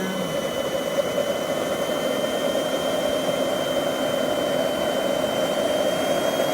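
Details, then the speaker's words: JetCentral turboprop turbine on a test run, with a temporary wrong-size propeller: a steady high whistle over a smooth rushing roar, no surging; it runs well before shutdown and cooldown. "can't be happier it sounded so good I love it it's just a great piece of equipment"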